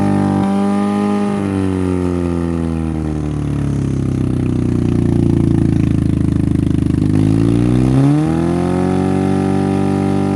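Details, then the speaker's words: Derby-damaged Honda Civic, timing and plug order checked, concrete mix fed in to kill engine: labours, revs drop and recover unevenly with rough clatter; owner suspects concrete is killing compression, unconfirmed. "it might be killing compression but I'm not sure we'll have to keep trying I suppose oh it doesn't sound like it has a ton of compression we're not done though"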